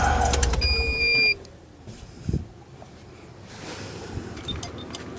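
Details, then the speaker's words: Van inverter with the van engine off, powering a Litespeed 72V variable-current bike battery charger: high steady beep for about a second, then the hum cuts out. The inverter shuts down for lack of power. "just killed it Oh not enough power"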